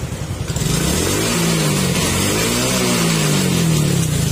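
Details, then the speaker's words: Suzuki Raider J 115 after engine overhaul fixing 3rd gear popping out and heavy oil leak; revs climb and drop cleanly through shifts with no popping out, grinding or rattle; gearbox healthy. "Okay, tahimik na. Tapos primera, segunda,"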